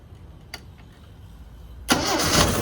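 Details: 1974 Toyota Celica 18RG engine, off the road 25+ years, after new water pump and thermostat and block flush, running on water: quiet, then catches cleanly and settles into a steady idle; healthy start.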